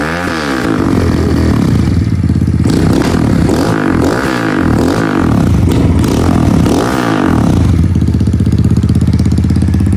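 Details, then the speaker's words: Kawasaki KLX110L just after cam chain install and timing set: small single revving in swells, pull slightly ragged and hesitant between blips; runs a little off, carb still needs jetting. "Not too shabby, but still a little bit off."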